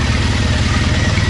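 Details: 2: Triumph Bonneville twin idling after cleaned injectors, new fuel-line O-rings and a faulty O2 sensor was fixed, with the engine light gone out. Steady, evenly spaced idle pulses with no stumble or hunting; normal healthy idle.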